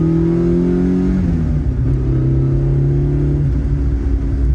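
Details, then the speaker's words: Toyota AE86 GTS, Blue Moon built 4A-GE 16-valve, new Haltech Elite ECU tune, new final drive: engine climbs cleanly, drops at each gear change, pulls smoothly to 7,500 rpm redline with no stumble, hesitation or misfire. "And it pulls. It feels so willing to get wrung out. We can finally drive the car properly."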